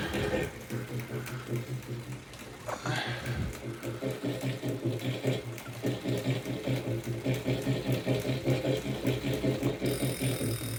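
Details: Wahoo Kickr Core indoor bike trainer grinding with a rough, pulsing whir under a steady low hum while pedalled.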